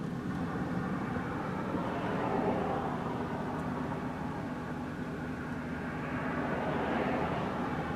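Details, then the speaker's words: 2004 Chrysler Sebring Limited convertible, pulling up through the gears to about 50 mph: even, steady engine and road drone with no knocks or whines, smooth and tracking straight; normal highway cruise. "Alright, there you go, all the way up through the gears, and again, right about 50 miles an hour. It's nice and smooth"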